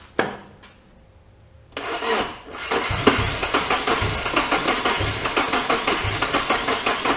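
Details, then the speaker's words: Nissan S13 convertible with turbocharged KA24DE (T3 turbo, 370cc injectors, SAFC 2, stock MAF), just started and needing throttle to fire: uneven, lumpy idle at about three pulses a second; owner suspects timing or a vacuum leak. "it starts doesn't sound the greatest because something is either timing or I got a vacuum leak"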